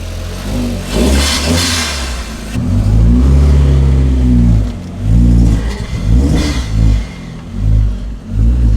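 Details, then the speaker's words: VW Mk2 Golf just started after a good battery, cleaned spark plugs and contact cleaner down the intake, not yet warm: revs swell and sag repeatedly, a hunting idle. "So, she's not running fantastic. She is hunting a little bit as you can probably hear, but she's running."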